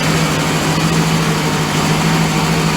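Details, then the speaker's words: Volvo Penta 5.0 GXI-C marine V8 in a 2003 Chaparral Sunesta 242, after installing MarineTorq stainless manifolds and risers: a steady, even low growl at idle with no misses, ticks or knocks. Leaks are fixed and it is ready for water tests. "look at that shine and listen to that growl this thing's working great all the leaks are taken care of back down tight"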